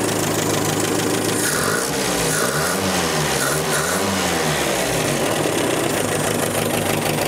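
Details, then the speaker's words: 1965 Datsun 320 pickup running for the first time after 30+ years on a gravity-fed firewall tank with distributor just set: the engine blips twice and returns cleanly to a steady idle, running well; oil leaking near the oil filter. "yeah sounds pretty good I think we can snug that in place"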